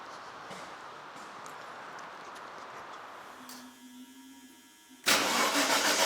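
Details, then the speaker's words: Aston Martin DB7 after new rear muffler ends were fitted and refitted with gaps to the bumper, lowered and started: the engine catches instantly and settles into a loud, strong, even idle; normal start and idle. "So yeah, so what I'm going to do now, I'm going to drop it down and start it up, and you can hear the lovely sound on it."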